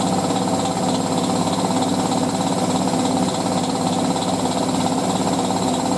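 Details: Hotpoint 9530W Electronic 1000 Plus washing a loaded towel wash, during spin: fast, steady thumping at about two or three knocks a second. Worn shock absorbers are letting the tub bang, and the machine is being stored until the shocks are replaced.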